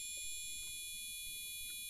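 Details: Used gaming PC with a Gigabyte motherboard, heard via the speaker cable: one unbroken high-pitched beep at power-on, followed by a single short beep, yet the PC posts and boots into Windows 10; continuous POST beep, cause unknown.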